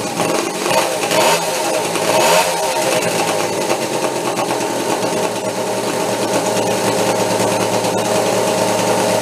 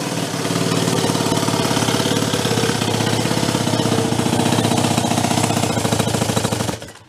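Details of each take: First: Homebuilt steampunk motorcycle on twin OCC chopper two-stroke engines, first start after years in storage, warming up: steady buzzy two-stroke clatter with no drop-outs, now running on both engines with a little heat in it; normal running. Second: Homebuilt motorcycle with two small engines from OCC twin chopper bikes, first start in years, primed with choke backed off: rapid, uneven, lopsided popping that then dies; it sounds like it is running on only one engine.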